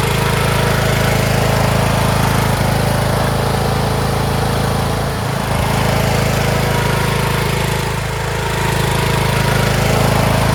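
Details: Craftsman T1600 (MTD-built) lawn tractor, 46" deck, Briggs 19hp, after replacing a blown cylinder head and head gasket, mowing: steady, even single-cylinder beat that holds its speed under load with no knocks or misses. Healthy engine under load.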